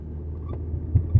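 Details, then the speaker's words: 2012 Dodge Durango driving and turning: dull deep thumps about five a second from underneath; suspected driveshaft/cardan bar support hitting something; underbody knocking while turning. "Pero cuando doy vuelta, oye. A ver aquí. Oigan. Oye. No sé si se aprecia en la cámara. Oye. A eso quieren que le cheque. Torena, se oye un golpeteo."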